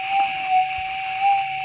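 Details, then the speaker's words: Gold metal detector set stable (RX gain 10, stabilizer 8): clean steady mid-pitched threshold hum with little chatter, soft swells rising as the coil passes a small target, now audible. "without that instability and a lot of chatter now we can pick that noise out if you're going through like this"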